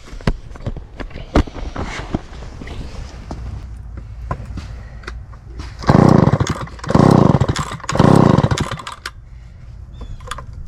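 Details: Small two-stroke started after its dried-out carburetor fuel-pump diaphragm was rehydrated: catches and runs, three strong revving bursts, settles back to idle; starts and holds running fine.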